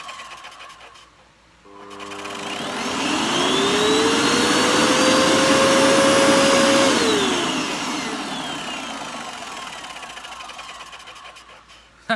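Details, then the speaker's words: Hoover Dust Manager Cyclonic DM6228 2,200 W vacuum, first switch-on test before restoration; motor spins up to a clean, steady high whine, holds evenly and winds down smoothly with no rattles or grinding: healthy. "That sounds really good, actually."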